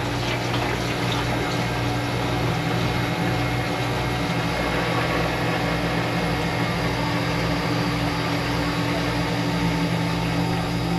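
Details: Manitowoc ice machine with a long-harvest alarm, in harvest/defrost with plenty of heat on the discharge line: steady low hum with even regular pulsing and no rattles or squeals. Harvest air pump running normally.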